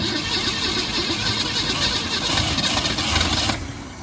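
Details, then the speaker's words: 1964 Ford Falcon station wagon after sitting 46 years, on its original unrebuilt carburetor: the engine catches and runs on its own with a busy, slightly uneven beat, then settles. The old V8 is firing and holding. "oh yeah yeah she's hitting now okay let's see if we can get this thing running"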